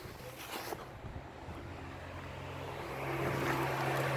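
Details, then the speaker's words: Honda Accord cooling fans, rewired to the battery with a cabin toggle switch: quiet, then a smooth whoosh builds into a steady airflow hum as the fans come on when switched; normal operation. "so you just flick it up like this and you hear the cooling fans come on"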